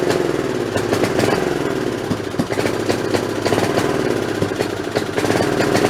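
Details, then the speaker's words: Snapper 3081 riding mower single-cylinder, throttle up in neutral with spark plug borrowed from snowblower: uneven stumbling beat, misses and backfires about every second; owner suspects failing magneto/coil. "so I'm gonna say that probably that coil is going bad that magnetron unit's bad has never ever misfired and backfired like that"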